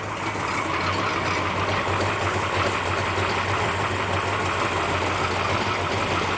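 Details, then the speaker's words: Plymouth Duster race car with new engine, first start on Optima battery: steady even idle about 800 rpm, 18 degrees initial timing, no knocks or misses, smoke and valve cover oil leak noted; normal idle. "All right, crank it. Running pretty good."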